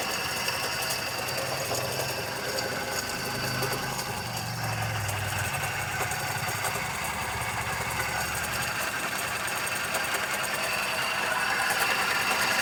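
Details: 2012 Celerio engine: fast, uneven metallic tapping, about three to four taps a second, over a steady idle. Top-end or internal tick, cause unknown.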